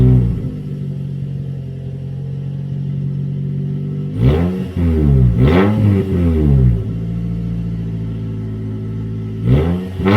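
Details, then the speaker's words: Toyota Corolla run with the muffler removed before a Borla exhaust install: deep booming idle that roars and crackles on each throttle blip, the raw unmuffled exhaust note. "all right you guys so since I have the muffler off I might as well start it up and see what it sounds like real quick cuz why not I mean I know you guys probably want to hear it without the muffler"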